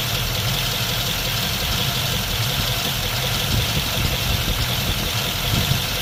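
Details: 1951 Mercury with newly swapped Rochester 2-barrel carb, idling rough while idle mixture (bleeder) screws are being adjusted from about two turns out, aiming for highest, smoothest idle; uneven, lumpy idle with wavering beat and hissy exhaust.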